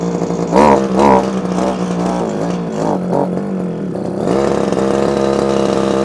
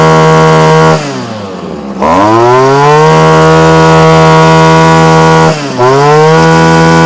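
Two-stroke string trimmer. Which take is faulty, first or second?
first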